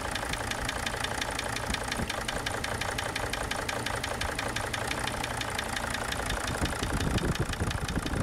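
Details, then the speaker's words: Sprinter van diesel at idle: a sharp, regular knock over the clatter. Unplugging injector number two stops the smacking, but a lighter knock remains and grows louder again over a few seconds; not yet diagnosed. "there's a very noticeable difference when unplugging number two it stops smacking but continues to kind of knock a little bit and then that knock grows back louder and louder over the next couple of seconds"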